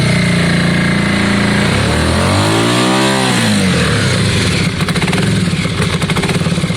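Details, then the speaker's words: Yamaha Virago V-twin just started after exhaust swap and carb clean: lumpy, uneven idle that swells and drops on a blip then stumbles; front cylinder stone cold, rear warm, front suspected not firing. "yeah and the front one's stone cold let's give it a few minutes i don't think it's on jon i don't think that front cylinders on is it"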